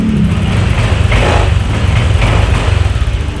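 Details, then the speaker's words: Honda Vario 150 scooter revving evenly with a steady low hum after replacing a rusted spark plug cap that was arcing; the previous misfiring is gone and it starts easily. "gasnya juga enak, sudah nggak berbet lagi, dan ketika dihidupkan ya itu udah enak, jadi nggak kayak tadi itu susah ya."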